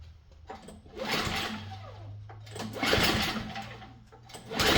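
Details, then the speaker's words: MTD snow blower with small flathead engine, oil present and bright spark but no gas in tank, choked and primed: repeated pull-cranking bursts with no catch; won't start from fuel starvation, ran dry in storage or leaks. "Let's check for gas. No gas. Well, that means two things. They ran it out of gas before they stored it, or they it leaks."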